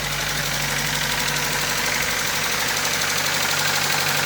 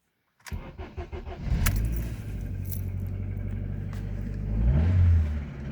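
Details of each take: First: Car at idle after a new coil and fixing a bad connector, now running better: rough idle with steady light tapping about three per second; attributed to a bent valve. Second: Car after new ignition coil fitted and bad connector found on misfiring cylinder; still has a bent valve on another cylinder; cranks, catches quickly and runs steady with smooth revs and no stumble; sounds better.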